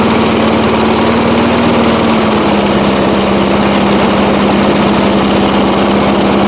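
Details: 1980s Firestone 22-inch mower after about 20 years of storage, warming up after the carburetor adjustment, light smoke starting to clear: single-cylinder settles from a slight speed change to a steady, even drone. Normal running while warming up.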